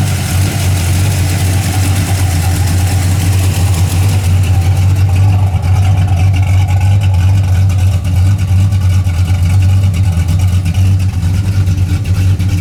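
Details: 1981 Camaro after a roller cam, aluminum heads and intake swap, retuned and up to temperature with 35–40 psi oil pressure: an even, steady low idle with a mild cam lope and deep exhaust, no knocks or ticks. It is healthy.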